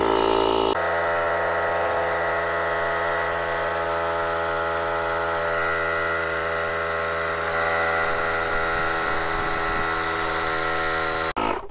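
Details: JF.EGWO 2000A 12V jump starter's built-in compressor inflating a tyre from about 1 bar to just over 2 bar in 1 min 10 s: steady, even buzzing hum, constant pitch, no knocks or stumbles. Normal running.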